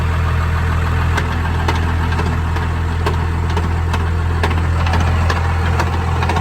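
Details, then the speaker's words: Cummins diesel truck idling, transmission and transfer case in neutral: steady low drone with uneven ticking clatter about three per second; manual transmission main shaft missing gears, 1st, 2nd, 3rd, 5th and reverse damaged, only 4th usable. "Yeah, the main shaft is missing some gears, so that's worse than it was the last time that it happened."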